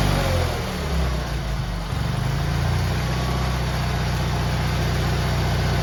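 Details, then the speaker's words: GT18 garden tractor, carburetor refitted, air cleaner off, settles from an uneven rev into a strong, steady drone that holds speed; it used to flood out and smoke past half throttle when warm, now far better. "well that is about 110 billion 2715 better than it was before"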